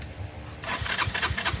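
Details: Abandoned Yamaha Vino 125 scooter, no-start diagnosis after electrical and fuse checks: starter whirs with quick rhythmic compression pulses as the engine turns over but it never catches; owner plans to clean the gas tank and maybe the carburetor.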